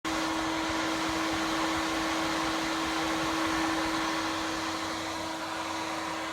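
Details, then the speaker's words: Xbox One S console whose cooling fan has grown louder and more frequent over about two months and now runs almost nonstop: loud, steady fan rush with a sharp constant whistle; loud constant fan noise. "my Xbox and running all loud like this. And it's doing it pretty much non-stop now."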